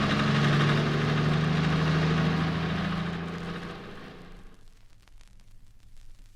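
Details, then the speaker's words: 1964 car-noise diagnostic recording, engine pulling under load in top gear: pinking (detonation), the mixture exploding rather than burning evenly, from too-low-grade petrol or spark timing too early; prolonged running can overheat and damage the engine. "pinking comes in in top gear. It's due to the air and petrol mixture exploding instead of burning evenly."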